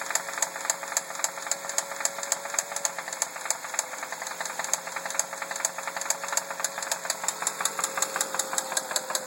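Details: 2003 Ford Focus idling: sharp metallic ticking rattle about three to four times a second, steady and light; knocking whose cause is unknown.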